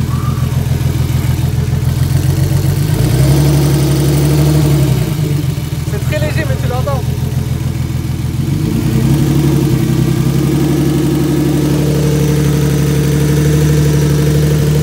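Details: BMW E36 turbo, first longer start with no engine management, new battery: steady, even low idle with a smooth rumble and no misses or knocks. Idle is stable, it heats up very fast, and turbo is barely audible.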